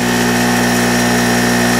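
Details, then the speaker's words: Harbor Freight mini generator that had refused to start after being stored with its fuel valve open, now running with an electric heater plugged in, left on until out of gas: a steady, even hum with no surging or misses under load. "I'm going to let this thing run till it runs out of gas I got my little electric heater plugged in there thing will uh it will run"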